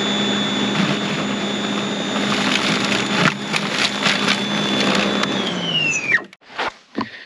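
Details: Greenworks 80V battery snowblower, first use: steady high motor whine with auger whirr, even and smooth, then winding down cleanly at shutoff; running healthy.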